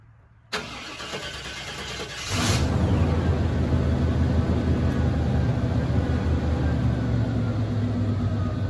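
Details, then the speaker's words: 1995 GMC Sierra cold start: the starter cranks nearly two seconds before it catches, then settles to a steady, deep idle with a little hesitation, nothing severe. Slight hesitation on cold start. "once I crank it up the first time she fired straight on up but the cold start give a little hesitation a little bit nothing too crazy though"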